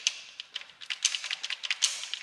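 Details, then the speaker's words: Range Rover Evoque with the 2.0 Ingenium engine, rattling from startup, engine turned slowly by hand with covers off: irregular light metallic taps as the slack upper timing chain slaps its guides. "quite a lot of slap there so yeah so it just a set of chains on this one"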